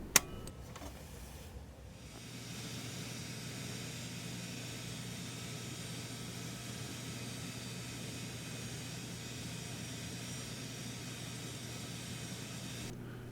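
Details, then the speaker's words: Old Jacuzzi hot tub with FL1 flow error, pump one wired for low speed only (black and white/common): after a switch click, steady low hum with even water hiss, no rattles or grinding; pump runs fine. "I'm just going to hook up low speed and neutral so it's going to hook up the block and the neutral so it's going to be on low speed turn the hot tub back on"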